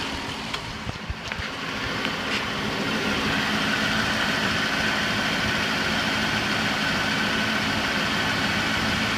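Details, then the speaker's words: 2005 Chrysler Town & Country/Dodge Grand Caravan after timing chain replacement, microphone near wheel well: steady, smooth idle with only faint occasional ticks; chain rattle gone, normal idle. "but not hearing that grappling sound uh except for very faintly occasionally but it made a huge difference in the volume of what we're hearing"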